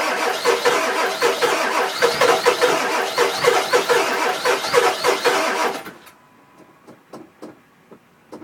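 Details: 2000 Ford F250 7.3 diesel, 208k miles, everything under the valve covers new except the injectors, new cam position sensor: six seconds of steady cranking, about four strokes a second, then stops without catching; crank, no start, owner suspects injectors.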